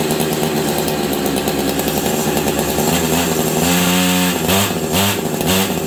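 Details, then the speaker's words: Husqvarna 385 two-stroke chainsaw that sat on a shelf for years, idle turned up: revs unevenly, pitch sagging and bogging instead of climbing, won't throttle up; sounds like the clutch grabbing; owner also wonders about ignition advance. "I don't know what's going on but it sounds like the clutch is grabbing but it's not um did you guys hear that it sounds like the clutch is grabbing on this thing but it's not"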